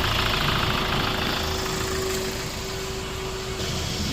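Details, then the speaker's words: Hyundai Grand Starex diesel with heavier diesel consumption and sluggish running, started before EGR valve and intake manifold carbon cleaning: fires up and idles at steady quiet clatter, no fault, no knock or misfire. "Okay, tignan muna natin yung start ng makina ni boss. Okay naman, tahimik naman."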